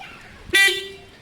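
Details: Kawasaki ZL600 project bike horn, which fixed itself, tested after fixing the indicators: a single short, bright toot, steady in pitch and cutting off cleanly. The horn works properly.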